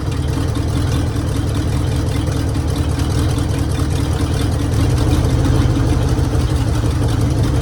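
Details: 1966 Mercury Monterey big-block Ford V8 after a fuel leak fix; deep, loud, even idle rumble with no misses, stumbles or knocks, "running like a top"; normal idle.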